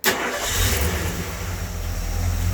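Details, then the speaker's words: Ford V8 after swap to original 351CJ intake and 4300D carburetor, idle set with idle solenoid, restart after gas station stop: quick crank, catches at once, steady even idle, no stumble or miss; clean healthy start, no leaks. "Running beautiful. So, no leaks, no drips, no runs, no errors, nothing. Just a good running carburetor."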